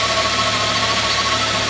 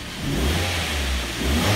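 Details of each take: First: Mk3 Ford Mondeo at steady idle with a constant high whine, first thought to be the alternator; a screwdriver held to the ear traces it to a worn bearing in the air con compressor on the power steering side, which is to be replaced. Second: Mk3 Ford Mondeo, after fix for noisy air con compressor, just started and revved: clean rise and fall of revs with steady low rumble, no whine; normal revving.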